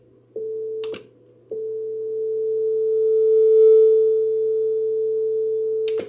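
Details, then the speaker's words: NAD C326BEE amplifier under repair, test tone on the speaker output with the signal stable on an oscilloscope before the relay: the tone abruptly cuts out for about half a second and returns; intermittent speaker-output relay dropout with crackling. "Problemem jest przekaźnik załączający wyjście głośnikowe. Mam teraz oscyloskop wpięty przed wyjściem głośnikowym. W głośniku słychać trzaski, szmery."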